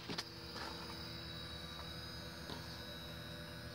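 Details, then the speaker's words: 1000-watt modified sine wave inverter powering a heater: a steady, quiet electrical buzz with a few faint clicks, as battery voltage slumps to 11.9 V. "you can hear that buzzing noise that buzzing noise is a modified sine wave inverter"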